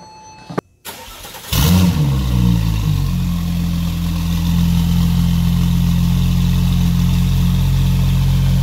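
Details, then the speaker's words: Porsche 911 Turbo after coolant fitting replacement, with a COBB Accessport stage 3 tune for 1,300cc injectors and 93 octane: a brief crank, then a smooth, even idle with no misses and no smoke; still needs fine tuning. "that is folks how you supposed to have it sound it's still gonna need to have some fine tuning done this is how it supposed to sound no more smoke sounds clean"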